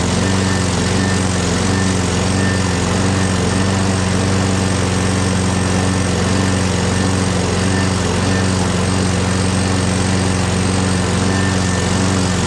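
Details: Craftsman 6.5HP Briggs Quantum FWD mower after magneto replacement and carb clean, primed and electric-started: steady, even run at working speed, no stumbling or surging. Owner hears an unidentified clanking and must prime it every time.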